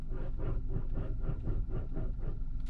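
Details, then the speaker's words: Skoda Yeti, turning the steering wheel: rapid, even dull knocking about five times a second over a low rumble. The knock comes from the steering rack, and the owner suspects the power-steering electric motor in the rack. "но что-то с гидроусилителем точнее скорее всего с электромотором в рейке его электромотор там стоит нам по моему да или не электромотор ну не важно короче что-то в рейке уже разбирались он стучит даже слышите и"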